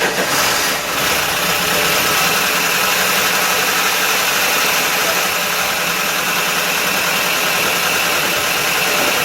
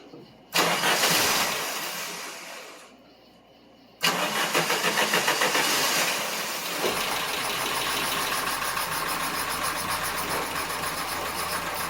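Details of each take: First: Dodge Dakota parts truck with electronic ignition and fuel injection, first start after long preparation, oil not checked; a loud, diesel-like clatter over the engine from first start, suspected no oil pressure; lifter clatter on cold start. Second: Dodge Dakota parts truck, cold start after priming with fuel: short crank, catches fast and settles to an even idle with no top-end ticking or clatter. Earlier noise gone; normal idle.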